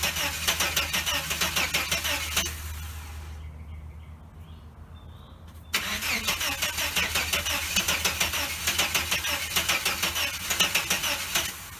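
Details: 1989 Chevrolet S10 Blazer, after everything was reconnected: starter churns steadily about three beats a second, pauses, cranks again without catching; owner wonders about needing new cords, cause unknown.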